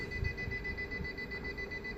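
A steady high-pitched electronic alarm tone sounds from a battery backup overloaded by the connected equipment.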